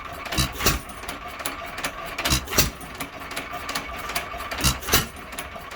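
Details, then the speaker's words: Hercules (maker unconfirmed) 1 1/2 hp ball-governor hit-and-miss engine, possibly converted to spark plug, running after governor latch cleaning and softer spring: paired firing chuffs every ~2.5 s with clicky coasting between; slowed, steady, healthy hit-and-miss running. "that certainly slowed her down a good bit and if you notice on the speed leader i am back in the middle"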